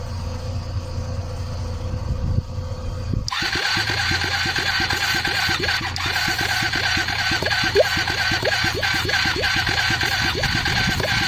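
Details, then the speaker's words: Hyosung GT250, trike conversion, newly installed carburetor and wiring harness, starter spinning about three turns a second with uneven puffs that never catch; cranks without firing, no fuel yet before makeshift syringe fuel supply. "Sounds like it wants to go. I think let's quickly connect the makeshift fuel system."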